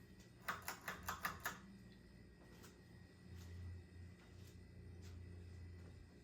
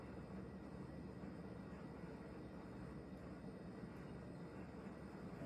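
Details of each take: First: Late-1980s CEC Newport 42-inch ceiling fan on medium, a fan prone to stalling. Near silence, with a faint steady low hum and switch clicks. Normal running. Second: Late-1980s CEC Newport 42-inch ceiling fan at high speed makes a steady low whoosh with a faint buzz. The owner suspects the globe; the noise sometimes stops when it is touched and then returns. It was not making this noise before.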